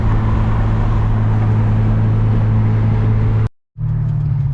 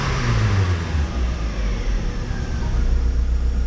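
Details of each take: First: JDM-front DC2 Integra: a deep, loping, uneven idle with a low drone; rough idle, and the owner suspects the distributor timing is off, unconfirmed. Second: JDM-front DC2 Integra idling after replacing failed fuel pump with DW200, plus new plugs, wires, crank and cam sensors: low, steady idle without dipping or hunting; previously nearly died at idle; fixed.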